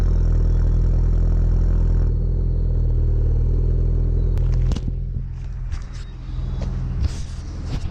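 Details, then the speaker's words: Ford Focus cold start: engine catches and settles into a steady, even low idle with smooth rhythm and no knocks. Normal cold start idle. "I'm doing a cold start on the focus here so let's get that done"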